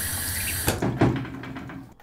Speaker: But there are some cases where the incoming water pressure is excessively higher, which may result in banging pipes, loud rumbling when opening up